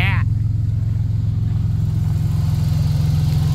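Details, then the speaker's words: 1990 Dodge Grand Caravan LE, exhaust open, fuel nearly out: a loud, even burble at about three pulses a second with no misses; no fuel leaks, engine runs smoothly. "no fuel leak here no leaks here uh I don't see anything dripping off the filter area no leaks back here sounds good besides the fact it's race car"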